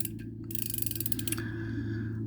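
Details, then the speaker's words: Vintage Daiwa 100X spinning fishing reel in good used condition gives a quick, even run of light clicks as the handle turns, then settles; a healthy anti-reverse ratchet. "so as you know this R has uh this type of anti reverse uh you can hear that clicking sound that is the anti-"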